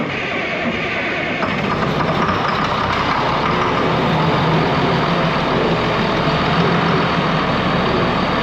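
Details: Ex-US Army Cat D6R bulldozer diesel, 822 hours, starting: steady, even idle rumble, no misfire or knocking; sounds good, zero blow-by, only hydraulic leaks noted.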